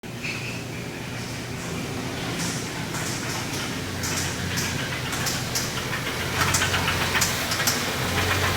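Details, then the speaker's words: 2017 Kia Sedona 3.3L V6 idling: uneven tapping from the lower end under running noise; spun rod bearing knocking, engine to be replaced. "As you can tell, it has some kind of a knock. It's the lower end."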